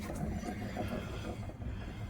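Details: 2005 Nissan Xterra jacked up, rear wheel spun freely: a low, rough, continuous grinding rumble from the worn rear wheel bearing; the rear differential was checked and is full, so it is not the cause.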